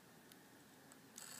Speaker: struggling to read and write data so I'm going to click around here for a second and see if I can get it to um access some data and make some Make Some Noise here yeah and what that clicking uh and little tapping sound is that's the read right head and motor trying to access the drive but struggling